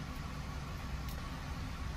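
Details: 2007 Ford F-150 5.4L 3-valve Triton at idle: low, slightly uneven rumble with faint unsteady beat, slight misfires on bank one cylinders 2 and 4 from a cam phaser stuck about 79% out of position, no timing codes.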